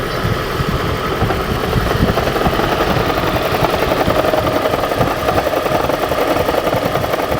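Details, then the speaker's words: 2013 Lexus CT200h hybrid, 1.8 L 2ZR-FXE petrol four-cylinder, at cold start: loose uneven metallic "death rattle" lasting a few seconds, then runs fine; happens about 60% of starts. "So mine sounds exactly like that. And the rattle goes away after a few seconds, and then the engine runs fine."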